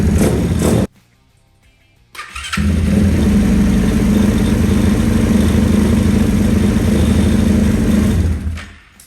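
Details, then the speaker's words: Orion RXB 150 single-cylinder pit bike after valve adjustment (suspected compression loss made it hard to start), weak battery on charge: quick start after a short pause, then steady even idle chatter with no stumbling; starts much better. "Starts in better now with the valves adjusted. Way better."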